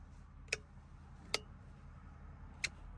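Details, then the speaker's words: Mk11 Chieftain main battle tank, sat outside as a gate guard for about 30 years, first revival attempt: four sharp clicks over a quiet low hum as the fuel pump works after a suspected breaker pop; normal fuel pump ticking. "yeah we got stuff working that side yes she's working the fuel pump"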